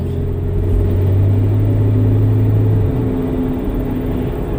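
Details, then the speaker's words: Vehicle driving on snow on a cold 15-degree day: steady low drivetrain hum under road noise from about 40, then easing off; owner suspects a failing differential carrier bearing but is unsure whether front or rear. "I get up bearing I think it's getting bad in the carrier in front of the rear hear that humming we get up to about 40"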